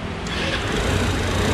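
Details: Attila FI fuel-injected scooter, customer complaint of loud engine noise, revved before repair: loud rough clatter over the exhaust note; top-end knock, cause not pinned down.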